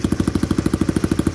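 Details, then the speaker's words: Restored old Honda Cub-type single-cylinder engine, freshly rebuilt: a steady, even beat at about eleven firings a second with no knocks or rattles; it runs smoothly and healthily. "Còn đối với mình ấ đối với Hiếu ấ thì cái máy nó êm như nào là Hiếu đã làm lên Hiếu đã biết nó nó êm đến mức độ như nào rồi"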